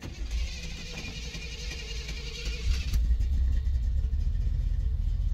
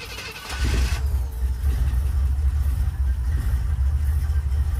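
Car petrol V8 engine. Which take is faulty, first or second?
first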